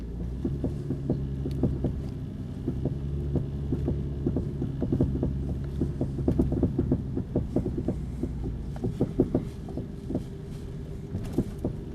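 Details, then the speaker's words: 2008 Honda Odyssey minivan driving: irregular muffled knocking, rattly rumbly thumps over road rumble, seeming to come from the rear wheel, before shock replacement; owner suspected a loose or old shock. Worn rear shock absorber knocking. "It's kind of this kind of rattly, rumbly sound, and I think it's the shock is loose or old."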